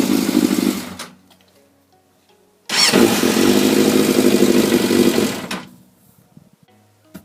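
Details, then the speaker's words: 24-year-old Yamaha FZS600 Fazer: engine runs then cuts out abruptly when the steering is turned right; first suspected carbs/idle circuit, but it is an electrical fault, a broken wire at the ignition switch. "but no it is definitely an electrical problem down here and when you turn the steering to the right it cuts out"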